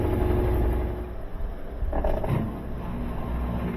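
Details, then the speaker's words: GE top-load washer after gearbox replacement, test wash: steady low rumble of a smooth spin cycle with no bearing noise, drain pump kicking in briefly; machine fixed. "it's on the spin cycle and you don't hear the bearings it's working"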